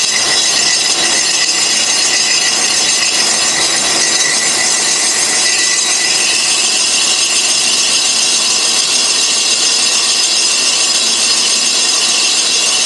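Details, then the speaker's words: Colchester Triumph 2000 lathe skimming a Studebaker cast-iron front brake drum in a 12" 4-jaw chuck: continuous shrill screech through the cut, chatter from tool/work vibration, inserts not suited to cast iron. "oh my God that's horrible well I I guess we've uh maybe taken the glazed surface off we've got some chatter going on here in that corner"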